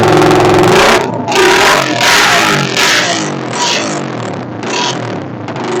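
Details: Suzuki Satria FU motorcycle with new non-original regulator/rectifier, no battery, previously stuttering: engine revving cleanly on throttle blips and dropping back smoothly, no popping or stutter, during capacitor test on regulator output; running normally.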